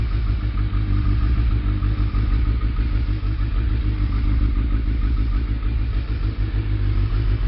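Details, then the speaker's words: Suzuki Hayabusa after new spark plugs, cold start with choke pushed in, idling just over 1000 rpm: even, steady low rumble with no misses or ticks; normal cold idle. "that's basically cold start and I push the and the chokes right in so that's just over a th000 RPM and that's good to go"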